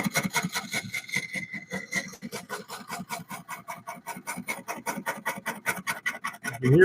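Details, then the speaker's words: Wood lathe turning a cypress bowl: the cut is not hitting round and gives quick regular bangs, about four a second, as the tool catches once per turn, pushing the turner in and out from a slight warp in the blank. Interrupted cut on an out-of-round workpiece. "It's hitting a little bit of a bang, bang, bang, bang, bang. See how it's moving me in and out? That's that little bit of a warp that's in the wood."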